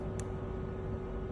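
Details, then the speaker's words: Fuel injector being tested before ECU tuning: a single sharp, clean click at each on and off over a steady low hum, a normally working injector (a faulty one gives two clicks on off). "on, off. Dengar eh. Bila off tu dia satu klik aje on klik off satu klik."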